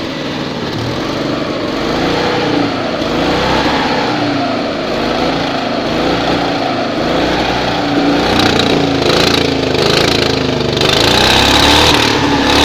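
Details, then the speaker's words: 1972 Invacar Model 70, Steyr-Puch 493cc air-cooled flat twin with CVT, recommissioned after 14 years in a field: steady, even putter at fast idle, no knocks or misses; engine runs very nicely. "well sounds good enough to me loading the exhaust to pieces again but I think we can say that engine runs very nicely"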